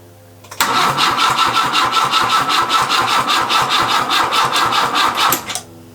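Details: Peugeot 104 from a barn, first start attempt: even starter cranking at about two and a half beats a second for five seconds, never catching. Fuel has not yet reached the carburettor.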